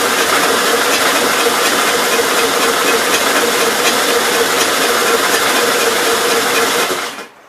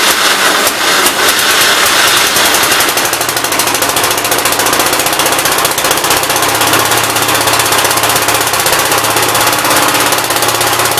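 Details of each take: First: 1957 SR Gravely single-cylinder after top-end rebuild with 15-over rings: fast, rattly seven-second cranking that never catches, no compression beat. Owner smells no gas, suspects carbon under the exhaust valve, then concludes valves need adjusting. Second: 1957 SR Gravely single-cylinder after top-end rebuild with 15-over rings: steady idle with an even, quick firing beat, no misses. Idles decently and no longer smokes heavily as before the rebuild; normal idle.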